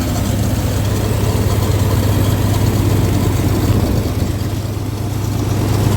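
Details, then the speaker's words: 1962 Dodge M37 first run after sitting about 45 years, fed from a temporary fuel supply, accelerator pump probably not working: low, steady, quiet idle with an even beat and no misses or knocks after idle was lowered; normal idle. "So, I know the accelerator pump's probably not working, but Pretty quiet. Not bad at all."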